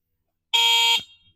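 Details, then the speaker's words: Gokeep F5 electric scooter, 52V 20Ah battery: one short, loud, shrill electric horn blast of about half a second, steady pitch, described as loud as a scooter horn; horn works properly. "Claxonne assez fort. On dirait un scooter."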